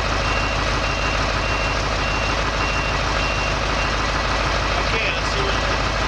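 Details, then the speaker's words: Heavy-equipment air brake low pressure signal test at diesel idle: fast repeating warning beeps as air pressure builds, which should cut off at 60 psi. "You hear that beeping noise? That's the low pressure signal. It should cut off at 60 psi."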